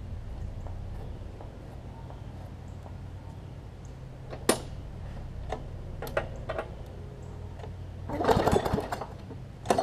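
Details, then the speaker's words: Briggs & Stratton Classic engine swapped onto a Hyper Tough mower deck, throttle set a bit high: steady buzz with an unsteady, shaky beat and rattles; rough running with vibration, cause not confirmed. "it's vibrating some I would say I think you got it running just a little bit on the hot side"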